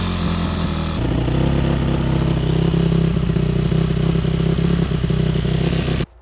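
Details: Yamaha YZ450F motocross bike, first start after oil change, carburetor cleaning and new clutch cable, with choke on and idle raised: loud single-cylinder settling into steady, slightly fast idle, no misses or popping; normal idle.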